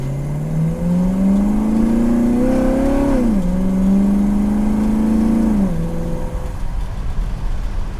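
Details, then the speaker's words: Restored 1967 Buick Riviera GS, three-speed transmission manually shifted early on test drive: engine climbs strongly at full throttle, fuel injection opens up, clean drops at upshifts without flare or slip; normal acceleration. "peppy you can hear the uh the phi tech open up and and start eating fuel i'm shifting it early but it shifted through all the gears as it should"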